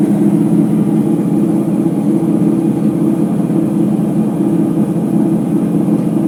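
Full-speed spin with a heavy, steady rumbling roar that never lets up, the kind a washer makes with worn drum bearings.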